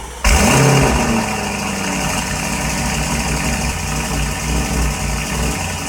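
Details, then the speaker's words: Car reported misfiring on cold start, tested from a cold start: engine catches and settles into a lumpy, uneven idle with an irregular stumble; said to idle and drive fine once off cold start. Codes read, spark plugs suspected. "yeah it sounds like really long there but then apparently as soon as it comes off cold start it idles and drives fine"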